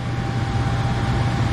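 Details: Furnace after replacing the transformer, control board, blower motor and capacitor, with no filter fitted yet: a smooth, continuous blower rumble with a faint steady tone, not kicking off, overheating, squealing or scraping; normal furnace operation.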